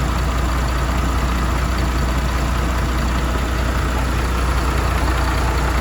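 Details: MAN TGM truck, D0836 LFL 63 diesel, after engine rebuild for smoking and misfiring, with bench-tested replacement injectors: deep, steady idle with an even, unbroken beat, no misses or knocks; normal idle.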